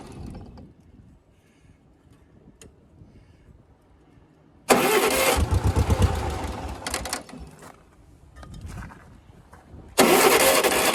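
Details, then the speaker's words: Yazoo riding mower, first start attempt, battery dead and put on charger boost: long quiet gaps with short cranking bursts and brief firing that won't hold; hard starting. "of course now it doesn't want to"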